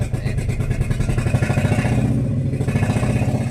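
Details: Renault Kwid with late starting, a faulty accelerator pedal and codes 033564/0313F8, including a cylinder 1 injector open circuit: revving chuffs and stutters unevenly with slow pickup through an open silencer, misfiring.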